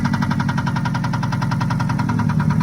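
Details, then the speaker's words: 2003 Subaru Impreza with a manual gearbox, jump-started and idling: steady, rapid internal engine knocking with an apparent exhaust issue as well; cause undetermined. "Hear the engine knocking. Also sounds like it has an exhaust issue."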